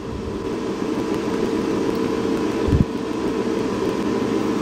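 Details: Air-cooled dual 2.7 GHz Power Mac G5 during CPU calibration and boot: constant loud roar with a steady mid hum and no cycling, fans running flat out. The system then freezes, and the owner suspects a corroded CPU.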